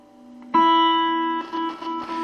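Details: Mid-80s 35 W Peavey Backstage Plus guitar amp played with 80s Ibanez Roadstar: held note drops and stutters in volume several times; scratchy saturation potentiometer cutting out, to be fixed with contact cleaner.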